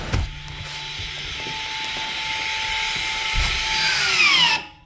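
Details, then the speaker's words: 2019 Toyota Camry ASV70R 2.5L 2AR-FE, rear electronic parking brake after rear pad replacement: steady caliper motor whir for about four seconds, pitch sags as it loads and stops, wheel now locked; normal EPB apply. "Okay, now wheel is locked, so we cannot turn."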